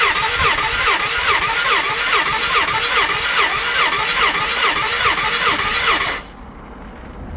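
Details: Gilera 125 cranking with no start: steady starter churning at about 2.5 pulses per second, engine never catches. Top and bottom gaskets replaced, new spark plug, thumb compression test seems good, battery fully charged.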